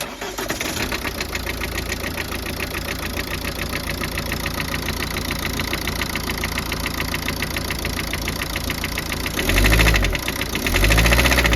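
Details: 2009 Ford Focus Mk2 1.8 TDCi diesel, 225,000 km, idling with steady sharp top-end knock three or four a second; noise began at 130 km/h, vibrations first minutes after cold start; belt, injectors, timing belt checked OK.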